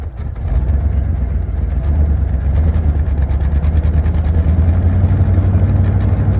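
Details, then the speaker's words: 1986 Ford Bronco 351 Windsor four-barrel V8, sat about 15 years, running on fuel poured into the carburetor: a deep, steady rumble settling into an even beat, no clatter. It runs healthy, with a little exhaust smoke likely from built-up debris. "old thing sounds pretty good sitting 15 years [Music] all right she runs good deal"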